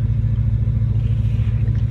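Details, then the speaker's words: After a new BBK intake manifold (a hole was never plugged, leaving vacuum leaks for almost a year), first start-up: deep, steady, even idle rumble, not louder but buttery smooth, no stumbling, hiss or misfire. Normal idle. "oh yeah that sounds really good it's not louder it's just really smooth it's almost it's buttery"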